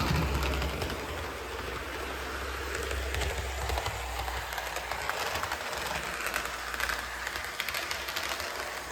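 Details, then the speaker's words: Budget SD40-2 model locomotive after a cheap one-dollar motor upgrade, this unit with nicer gears: quiet, even motor hum with light clicking over track joints, the quietest of three same-motor locos. "oh this is definitely the quietest so these have all got the same motor but obviously this one's got nicer gears"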